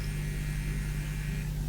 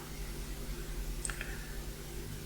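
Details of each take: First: Tube-amp external power transformer on mains with 280 V high voltage: steady hum with a buzzy rattle from loose core lamination plates; pressing them stops it, and tightening the screws changes the frequency. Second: Relay in a tube amplifier's new external transformer/power supply, after changing its capacitor: crisp single clicks about a second apart over faint mains hum, no chatter; switching cleanly.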